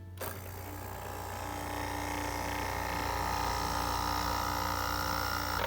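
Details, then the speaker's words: Air conditioner compressor powered directly via jumper bypassing the relay: steady low hum with faint motor whine rising smoothly, no knock or stall; it spins and gets cold, so compressor healthy, relay suspected. "So that sure sounds like a healthy compressor to me, and if I let it run for a few seconds, I could even feel that it's getting cold back here, which is excellent."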